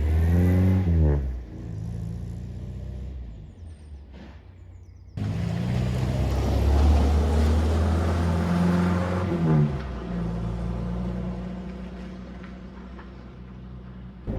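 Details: Morris Minor on a test drive after a timing chain replacement: a steady low engine drone rising and falling smoothly with the throttle through the gears, with no misfire pops or judder; the engine runs healthy.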